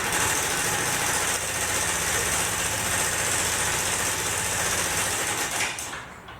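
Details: Yamaha NMax scooter engine running with a fast, light metallic chatter over its buzz. A loose cam chain from a worn tensioner; the tensioner is to be replaced.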